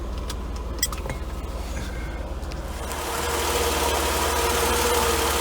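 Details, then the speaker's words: 1992 Mercedes W124 300E M103 after head gasket job and new 75-degree thermostat, warmed to the 80 mark with thermostat open: smooth, steady idle without misses or knocks. "smooth that thing's running yeah and we'll keep an eye out for real leaks"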